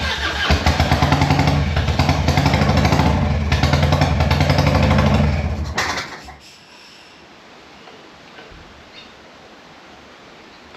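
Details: Harley-Davidson Evo 1340 Heritage, faultless on an 800 km ride, then after sitting about two weeks it fires with a lumpy, uneven, surging V-twin beat for several seconds before dying; running rough, cause unknown.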